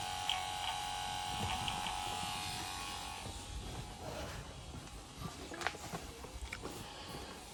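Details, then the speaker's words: Ford Sierra RS Cosworth 3-door, rebuilt ABS master cylinder from spare parts, key on: steady electric buzz as the ABS pump runs on, suspected of not building pressure; owner suspects a blown pressure switch. "Oh, I hope this flipping works. Not got a good track record though, have we? I can hear the pump."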